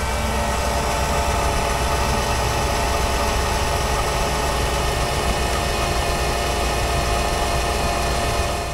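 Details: Jeep Commander/Grand Cherokee 5.7 L HEMI V8 idling after replacing the poly-ribbed belt: a loud, steady, even low rumble with no squeal, chirp or flapping from the belt drive. Healthy.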